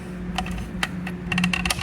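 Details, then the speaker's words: John Bean V3300 wheel aligner wheel clamp after repairing looseness by repositioning the notch and refitting the snap ring. Light clicks and a faint creak as it tightens, the way it was when new: clamp now gripping properly. "can hear that little creek as it tightens that's how they were when this machine was brand new"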